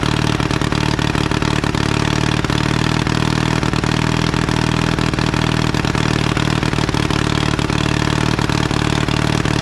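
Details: 1952 Caterpillar D2 crawler, main diesel idling after being started by the newly revived pony engine. Steering clutches are still frozen. Low, even diesel idle with a regular thumping rhythm and no irregular beats or rattles; normal idle.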